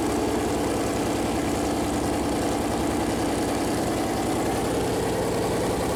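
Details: Freshly built Chevy Performance 454 big-block V8 on its first run, on a run-in stand: deep, steady idle with an even lope and no knocks or ticks. Normal idle; afterward oil leaked from the plastic oil-gauge line touching the headers.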